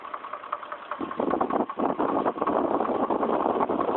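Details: Chevrolet Trailblazer at about 110,000 miles with trouble code P0014: a steady, rapid knock at idle with no change in speed. Internal engine knock, later reported resolved.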